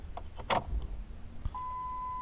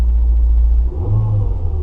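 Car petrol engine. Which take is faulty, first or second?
first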